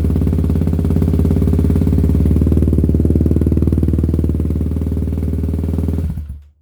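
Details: 2018 Kawasaki KLX351 big-bore single, after the idle was turned down with the set screw (it had been jumping to about 3,000 rpm). Steady, even thump at a settled idle, no misses or hunting, then shut off. Normal running.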